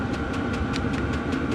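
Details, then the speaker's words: Chinese diesel heater on setting P5, all six lights lit to red, running off a small power supply: steady combustion roar with a light, even pump tick about five per second; normal running at high output. "turn it on and it's it's on p5 so it's all my lights are lit as you can see i got one two three four five six all the way up to red so it's got a good combustion going"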